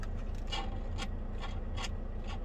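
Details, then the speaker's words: Scratchy crackling bursts about twice a second over a low hum as the CB radio's knob switch is worked. The switch is starting to go bad; owner may open it or order a new one. "you can hear the switch here is starting to go bad. I don't know if I'm going to try to fix that yet or not."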